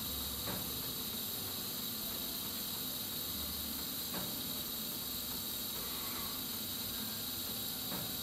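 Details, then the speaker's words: Gas furnace with the thermostat calling for heat, after the main burners fail to light from the spark-lit pilot: steady gas hiss with a sharp click about every four seconds as the pilot gives up and shuts off after about a minute. "And after a minute or so, the pilot light will give up and turn itself off."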